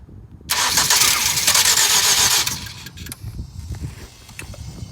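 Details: 2007 Ford Focus, cold: the starter whirs loudly for about two seconds but the engine never catches; it is hard to start when cold but starts fine all day once running, and the owner suspects the starter.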